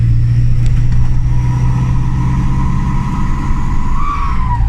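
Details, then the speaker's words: Turbo camper van that suddenly became very loud en route to Fort William, quieter than the day before: deep heavy raspy roar swells with revs pulling away down a track; exhaust leak. "So you can hear the turbo's working, but it's really, really, really, really, really, really, really loud."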